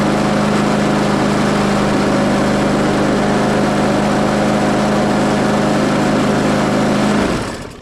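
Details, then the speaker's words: Craftsman mower found in the trash, running after an oil change: hard, rough running with a loud shaking drone, then cut off. Severe vibration from a blade that is not lined up, a bent blade. "it is very violent and I think I know why. I'm going to unplug that. So, if I look down here, this isn't lined up."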